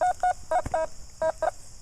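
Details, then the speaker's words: Fors Core metal detector with iron mask at 35: a signal reading in the high 80s drops to the 50s and gives quick, paired high-pitched double beeps that break up unevenly, a mixed signal from two targets near the surface. "I'm getting a double beep sometimes. And now we're down in the 50s, so that's like a mixed signal."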